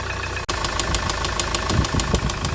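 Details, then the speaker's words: Hyundai i800 D4CB diesel at idle, before replacement with a 2006 Kia Sorento engine: loud, regular top-end knock of about six beats a second; hydraulic valve lifter or retainer suspected. "okay as you can hear the loud banging noises coming from the top and somewhere"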